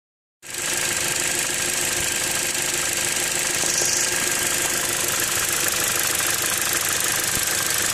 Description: Possibly PCV valve clicking after replacement.